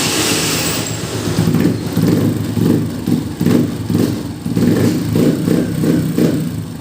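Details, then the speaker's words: Honda TMX 125 at 3,847 km, just after valve clearance adjustment and oil change: slow, lumpy, uneven idle around 1,000 rpm versus the 1,400 rpm it should have; idle set too low, to be raised once warmed up. "tapos kailangan yung Menor niya is 1,400 So yung Menor niya pag ganyan kababa 1000 or circulation niya is pangit so kailangan magad tayo ng idle"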